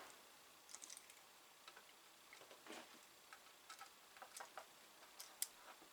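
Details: Atari 1050 disk drive, track zero sensor just nudged slightly forward after failing its test: faint, uneven dry ticks in a quiet room as the head steps and seeks. The track zero test then reports okay.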